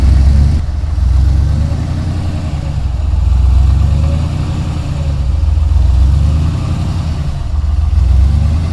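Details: Ford Ranger rock crawler "The Mutt", V6, first start after build with new Magnaflow exhaust and dump, gentle blips: deep, even rumble swelling and easing, no misses or knocks; fires right up, runs and sounds good.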